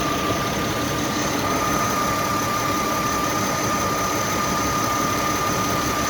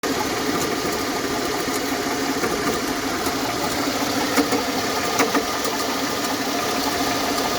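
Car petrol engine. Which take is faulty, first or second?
second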